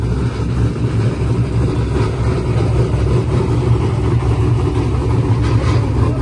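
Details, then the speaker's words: Turbocharged Corvette Z06 with Holley management at full throttle: a loud, deep roar whose pitch stops climbing in high gear. Boost safety was hit and it reverted to wastegate pressure, cutting power. "if you listen closely you could hear when it gets out there in high gear it just stops increasing RPM pretty much hit boost safety in the Holley so it just reverted back to wastegate"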